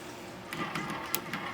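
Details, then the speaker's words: Technics RS-B48R 2-motor auto-reverse cassette deck, non-working and before belt change and servicing: in reverse mode, irregular quick mechanical clicks and clunks as it keeps flipping direction, hunting between sides; cause not confirmed. "Now it's going back and forth trying to figure out which side it's supposed to be playing."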